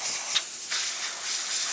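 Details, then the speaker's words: Quick Mill Silvano Evo espresso machine after pump replacement for zero pump pressure, warmed up: strong steady high hiss from the steam wand, no sputtering; great pressure and temperature. "and as you can hear and see, excellent steam coming out of this machine."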